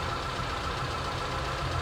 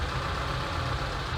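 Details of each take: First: ZAZ Sens with a rebuilt engine that sometimes stalls and won't restart, idling after an idle adjustment with injection about 2.2 ms: low, smooth steady hum without hunting or stumbling; normal idle. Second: ZAZ Sens, engine rebuilt, intermittently stalls and hard-starts; warm at 84 °C after throttle cleaning: low uneven idle drone, revs and ignition advance swinging once idle correction lowered from 66. Idle hunting from low idle correction setting.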